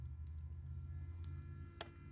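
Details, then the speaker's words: RC car sitting still, lights on: a steady low hum as the steering servo buzzes while holding position; humming servo. "You hear that humming servo?"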